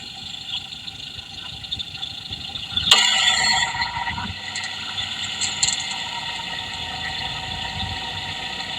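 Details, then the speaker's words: Fuel injector heard through an electronic stethoscope rod at quiet idle: quick, even ticking, about three to four clicks a second; injector sounds normal and healthy, not the rattling sound being hunted. "So ayun guys no, narinig natin yung tunog ng ating fuel injector. Ayan. So so far sa tingin ko okay pa yung kanyang ingay. Normal pa."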